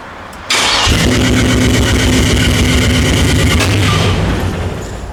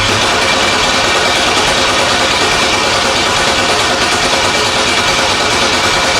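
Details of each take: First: LS-swapped El Camino, new spark plugs, first start after months of work: brief crank, then it catches and settles into a steady, even idle with no misfire or knocking; healthy start. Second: LS-swapped El Camino on a battery charger, crank no start: loud, even cranking at about three turns a second for nine seconds that never catches; the fuel pump runs and the rail has plenty of fuel, so there is no spark.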